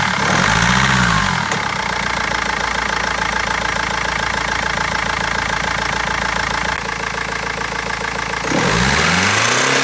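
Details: BMW 320d diesel knocking hard at about three and a half per second, uneven and stumbling between revs with misfires; injectors or tappet suspected, but garage and seller have not found the cause in over a month.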